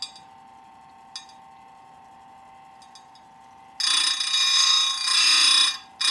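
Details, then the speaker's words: Square grinder touching up full chisel (square ground) saw chain that has lost its edge and about 20 percent cutting speed, at normal grinding pace: steady motor hum then smooth hissing light passes with short breaks between teeth; normal grinding. "i'm just throwing in a quick clip here of showing you this up to speed sort of this would be no hurry but i have a chain that's lost its edge"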